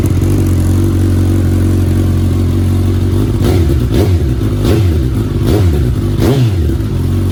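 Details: 2019 Suzuki Katana 1000 indoors with a newly installed M4 aftermarket muffler, baffle in: a deep, even exhaust burble with repeated clean rev blips rising and falling smoothly in an echoey room. Runs healthy.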